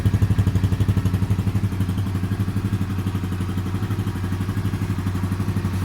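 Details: Yuki Gusto 50cc Chinese motorcycle whose valve adjustment was botched by a mechanic: small single idles with an uneven, lumpy beat, about four pulses a second, and a light rapid clatter over it; incorrect valve clearance.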